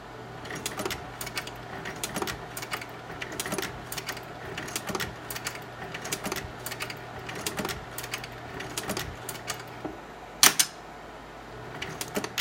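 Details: GAF 680 slide projector with round tray: crisp mechanical clacks roughly every half second over a faint fan hum, evenly spaced; slide changer cycling normally.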